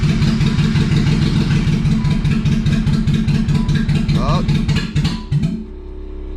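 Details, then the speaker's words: BMW E30 with swapped M50 engine, first start on a jump box, no exhaust fitted: long uneven cranking with ragged misfiring that finally catches into a rough, lumpy run; hard start. "right she's struggling but she is starting so come on come on she ain't happy but she's running"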